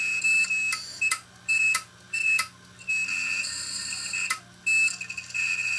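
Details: Opened failed 1TB Western Digital hard drive from a failed DVR after a screwdriver was put to its platter: repeated shrill beeps in uneven bursts over a faint spinning whir; drive is shot.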